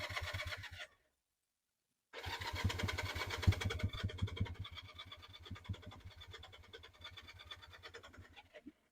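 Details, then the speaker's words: Honda CB175 twin, cold start on choke after sitting since before Halloween, sticky throttle: cranks, cuts out, then catches into a weak, uneven putter that fades and stumbles; hard cold starting, dislikes choke. "This thing doesn't really like. There we go. Doesn't really like the choke."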